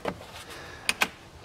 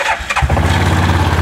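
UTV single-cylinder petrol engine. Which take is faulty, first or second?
first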